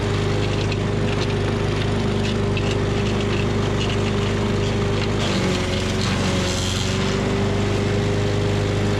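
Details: Tecumseh 5.5 hp engine on a yard-sale MTD Yard Machines chipper/shredder, after carb cleaning: steady governed drone briefly drops in pitch as a two-inch branch feeds, nearly stalling, then recovers; engine healthy.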